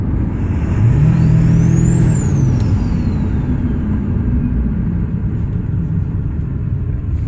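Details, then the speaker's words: Ford 7.3 Powerstroke diesel after turbo upgrade with new compressor housing and wheel, first start: clear whistle rising then falling as revs climb and drop; fresh turbo spools cleanly, sounds different than before. "Hear the whistle coming in. Sounds way different."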